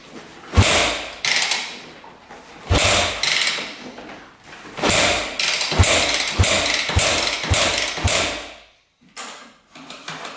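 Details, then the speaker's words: 2001 Yamaha WR250F street-legal dirt bike, just rebuilt after sitting years, kick-started with choke on: clatter and brief spin but no firing, cranks but won't start; owner hopes valves seat, unsure if there is spark. "no go we got to see if this thing's sparking all right I just assumed this was sparking"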